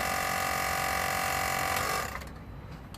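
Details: 2008 Citroen C4 Picasso diesel rear air suspension, compressor during pressurising test: steady buzzing hum, fast even pulse about four per second for two seconds, then cuts off cleanly; normal compressor operation.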